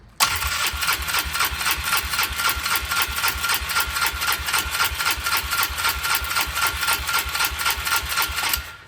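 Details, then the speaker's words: Polaris Trail Boss 325 four-stroke, parked 12 years with the carburetor not yet cleaned: starter churns steadily at about four turns a second for eight seconds with no firing. Owner suspects jets varnished by old fuel are starving it of fuel. "If I had to guess, I would say it's got a carburetor that's been holding old fuel for 10 plus years. That's just a guess. I don't think you're getting any fuel through probably the jets."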